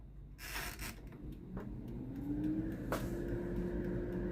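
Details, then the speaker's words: Philips NA120 air fryer after repair of no-heat/no-fan fault: small fan spins up with a clean hum rising in pitch to speed, still running with food basket pulled out; fan now works normally, fault traced to basket switch. "ตอนนี้มีเสียงพัดลมทำงานแล้วนะครับเมื่อเราดึงถาดอาหารออกมานะครับตอนนี้พัดลมก็ยังทำงานอยู่นะครับ"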